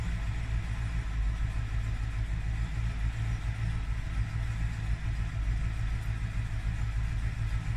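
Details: 2001 Suburban 2500 6.0 Vortec, cold start at about 1 degree after sitting overnight, just after cylinder head rebuild (new plugs, wires, gaskets, intake valves, valve seats). Low, uneven, lumpy idle that nearly died; cause unknown.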